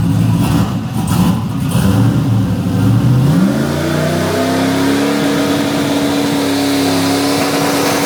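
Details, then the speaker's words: The 1974 turbo Camaro, with its headers tightened and wires back on, revs strongly and cleanly to a steady high note with no misses or knocks, exhaust open, about 13 lb of boost; healthy after the fix. "Fixed. She's fixed. That sounds spicy."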